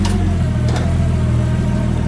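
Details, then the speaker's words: Car started cold, low on fuel, after earlier idling problems that stopped when the FM was unplugged: deep even idle hum, steady level, no misses, surges or hunting; now idling smoothly, not playing up. "It actually sounds nice now. You guys can hear it's not playing up or doing anything weird."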